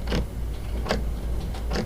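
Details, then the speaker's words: Orion DPL 16-inch telescope azimuth slew motor with uneven tracking: low motor hum with sharp clicks at a steady interval, about one every 0.4 s and alternating loud and soft, tied to motor rotation, unlike the silent elevation motor. "and it's clicking in a repeated pattern that is it's not it doesn't click and then a random amount of seconds then click again it's a steady interval in between each click which tells you that it's related to the rotation of the motor"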